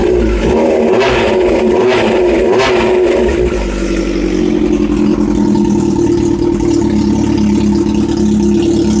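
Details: Kawasaki ZX7R inline-four, first start after a fresh rebuild; the no-spark fault was a new ignition switch missing the 100 ohm resistor on the grey wire. Rough blips at first, then a steady high idle with a smooth even buzz; owner unsure whether timing is off.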